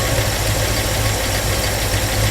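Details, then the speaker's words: Ford Mustang Mach 1 that sat with old gas: a low, uneven, lumpy V8 idle running a little rich. Owner suspects the carburetor is not feeding or the fairly new diaphragm fuel pump has failed; unconfirmed. "a little Rich right now all press is good not yet I'd say that the carburetor is probably not feeding"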